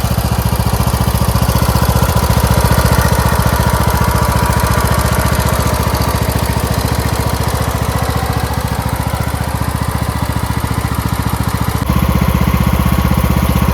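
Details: Craftsman MTD T1600 lawn tractor, first start after camshaft with ACR replacement: quick steady thump staying even, no stumbling or rattles; smooth healthy idle.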